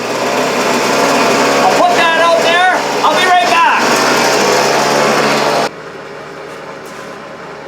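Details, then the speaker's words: Hitachi RB24EAP two-stroke leaf blower, fifth season, after decarbonizing the cylinder and cleaning the exhaust screen (already clean): steady high-pitched drone, even, no surging or misfiring; started much better than before. "it started a lot better than before"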